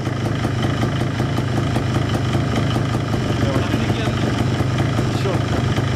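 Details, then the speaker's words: Minsk two-stroke motorcycle run with the clutch chain and clutch basket removed, earlier clatter having been traced to a slack primary chain: steady, even idle with only soft regular ticking, quiet like a Japanese scooter. "Пробовали вообще без цепи и корзины. Мотор заработал тихо, как японский скутер. Вот это звук, да! Вот Минск должен работать вот так."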